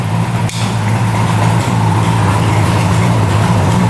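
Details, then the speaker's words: 1975 Suzuki GT750 two-stroke triple, sitting since 1986, first start on new plugs: steady, even low burble idling at about 1,000 rpm with no misses; all three cylinders firing, a healthy idle. "Even idling"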